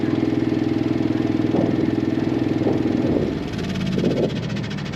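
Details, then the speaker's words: RV water pump running on battery with generator off, drawing antifreeze during winterizing after taking a minute to get suction; steady quick pulsing buzz about three beats a second, normal operation. "It just took a minute to get suction. Now I can hear it and I can see it yanking on the antifreeze."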